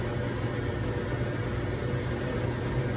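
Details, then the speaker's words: Giles 720 natural gas fryer, 3.5 in water column: steady inducer hum with a low ignition buzz and no burner whoosh; gas fails to ignite, giving flame failure. "so it'll come kick on you can hear the inaugural buzz if it doesn't ignite you'll get a flame fill which is what's going to happen in this instance"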